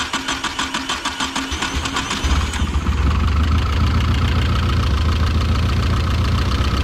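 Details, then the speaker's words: Nissan 240SX bought already taken apart, just fitted with new plug wires and a starter, started on ether: cranking gives way to a lumpy, stumbling beat that doesn't clear; a constant misfire, with a compression test planned next. "The downside is that here's the messed up part. It's got a mist, and the mist doesn't really change."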